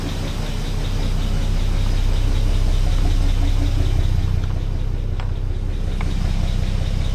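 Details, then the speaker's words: 1962 Plymouth Valiant, 170 Slant 6, pushbutton automatic, 63,000 original miles, abandoned 20+ years, engine freed from seized, running on old gas: a smooth, steady, very quiet idle with no knocks. Normal idle. "that is super quiet I can't believe how quiet that is that's not bad for a car that was going to get bured out and crushed"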